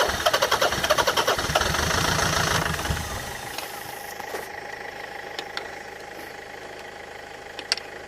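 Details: Land Rover Freelander 2.0 TD L-series diesel farm vehicle cranking with the starter churning about three and a half beats a second for several seconds, never catching; a no-start, with a pipe later found leaking.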